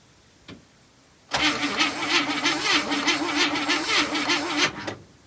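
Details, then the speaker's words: 1973 International Travelette crew cab, 392 V8, parked 30 years, cranking before any fuel is added: about three seconds at roughly three beats a second with a slightly lopsided rhythm. Uneven cranking, a mild gallop. "crazy well it cranks that's a wee little Gallop but I think it's going to be all right"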